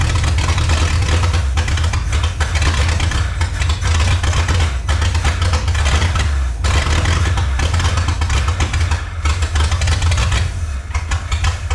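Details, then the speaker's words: 1954 Chrysler New Yorker 331 Hemi V8 after 50+ years in a salvage yard, first run: loud, deep, uneven running with ragged wandering beat; carburetor still pouring fuel, needs tune-up and carb rebuild, owner suspects sticking float. "Still pouring fuel. Well, most likely we need to tune up, amongst other things."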